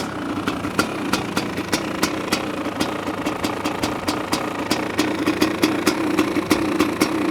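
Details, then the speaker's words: 1985 Honda CR500 two-stroke engine in a 2007 CRF450R frame, choke off, muffler fitted: sharp, even popping about three times a second over a rich, smoky idle and revs, firing steadily, sounds like it has a cam; normal idle and revs. "it sounds pretty good huh it it's still a bit Rich which is okay sounds like it has a cam in it you know"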